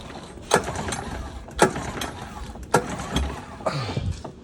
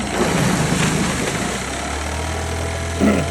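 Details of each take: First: Used Honda 9.9 outboard, primed, choked, in neutral, lanyard in: four rope pulls, each a brief rattling spin with no firing; cranks but won't start, no spark until the coil is removed and refitted. Cause unknown. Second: Used Honda 9.9 outboard (coil MP-05), previously no spark until coil removed and refitted; after reconnecting coil it starts and settles into a steady, even low idle with no misses or knocks. Cause of intermittent no-spark unknown.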